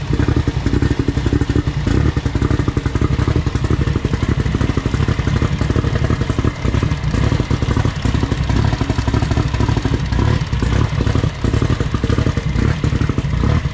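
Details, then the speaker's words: Toyota billet 3TC drag car at its first start-up. Loud, lumpy race-engine idle with sharp throttle blips and steady firing, no knocks or rattles. It sounds healthy and strong at idle and on revs, though the owner thinks it probably needs more gas. "so damn it sounds good what do you think you like it yeah it sounds really good right"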